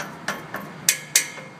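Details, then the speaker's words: 2005 Hyundai Santa Fe, complaint of a rattle on acceleration: four sharp, tinny taps on the exhaust heat shields ring and buzz after each hit, revealing a loose shield; the transverse engine rocks on acceleration, and the shield was adjusted to cure the noise. "you just tap on the shields that sounds a little tiny but we know that's tight so I just keep going on down like so and all of a sudden I hear that"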